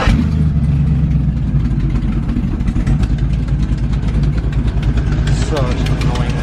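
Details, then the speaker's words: Deep lumpy idle of a '62 shortbed truck with a sharp puffing tick on each exhaust pulse from an exhaust manifold leak, unfixable because a manifold bolt is stripped, heard before the first test drive. "one of the downsides of uh having full exhaust exhaust leak that i didn't know about and can't do anything about because uh that exhaust metal bolt stripped crap"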